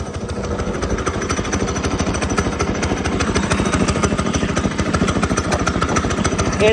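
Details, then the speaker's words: Go-kart small engine just fitted with a new 30mm carburetor, top speed up from 23 to 30 mph: steady, fast, even rattle with no misses or surging; running well with much more power. "running good seems like it's all working it has so much more power"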